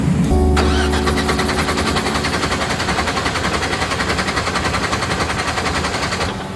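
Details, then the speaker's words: Rotsun race car at 24 Hours of Lemons, died on track and shut right off: steady, even cranking at about three and a half beats a second with no firing; no start, no spark from loose MSD ignition box ground. "we've been thrashing on the ignition system because the car just died on Tony out there shut right off it's got no spark"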